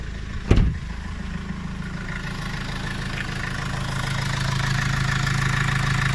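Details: Vivaro diesel cold at idle: uneven rough idle with dull knock, which eases once warmed; also dump-valve noise pulling away in 1st/2nd and slight black smoke; owner suspects EGR or vacuum leak, unconfirmed.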